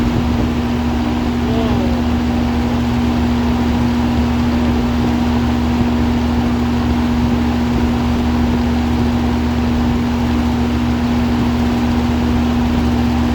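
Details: 2005 Lennox Elite air conditioner, indoor unit switched on: constant low hum with a steady mid tone over even airflow, no rattles or surging; normal running.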